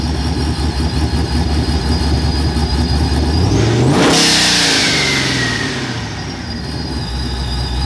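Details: V8 with TorqStorm supercharger running 100% M1 methanol, after supercharger oil change; steady lumpy idle, one sharp clean rev around four seconds, settling back to even idle; normal running.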